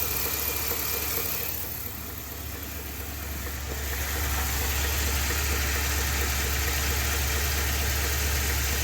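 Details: 2020 Ford F250 Tremor 7.3L idling after dealer oil pump replacement under SSM51330, night before the engine seized: steady regular knock about three per second, a deep internal knock, likely bottom end.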